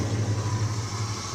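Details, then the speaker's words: 1968 Mustang GT/CS 390 big block, automatic, long-abandoned, first start with no fixing, only cleaning: low, even, quiet burble at steady idle, regular pulse, no tapping, knocking or misses; smooth-running big block. "freaked on at that time and went super quiet for a big block smooth running car great for a grocery get her a show car"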